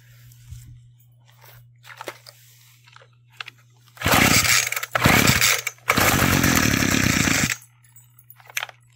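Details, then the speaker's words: Roadside-found Homelite chainsaw after carburetor work, sat a while, started with choke and primer: fires on the pull and revs crisp and clean in short bursts, no bogging; runs like new. "it's like a brand new"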